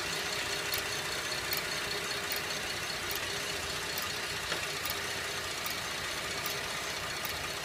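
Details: 2011 Buick LaCrosse CXL at idle: sharp metallic tick about every three-quarters of a second, slower than firing but speeding up with acceleration; stethoscope used to locate the loudest spot; source not identified.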